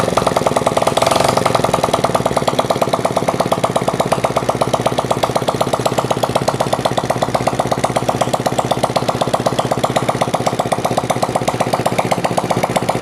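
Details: Honda CD70 motorcycle that overheated and stalled, after clearing a clogged oil strainer mesh, tappets adjusted and fresh engine oil: small single-cylinder steady even patter about four beats a second, no knocks or rattles; normal idle.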